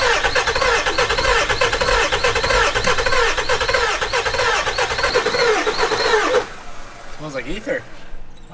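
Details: 7.3 Powerstroke turbo diesel E350 van, long sitting: about six seconds of fast even cranking that never catches, no fire even on ether; owner suspects IPR valve or low oil, injection suspect; cranks but no start.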